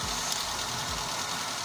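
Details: Engine idling after the alternator belt was refitted following loud belt squeal and low charging: quiet, even idle with a light hiss, no squeal or chirp; voltage reads about 13.5 V, considered normal.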